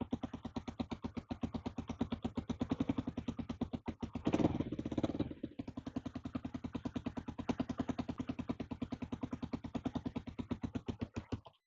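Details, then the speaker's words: Garden-found two-stroke dirt bike, first kick-start after fuel added and carburettor checked; sharp popping at about eight a second that sags then dies away: engine won't hold a steady idle. "I was going to say it's idling. It's not."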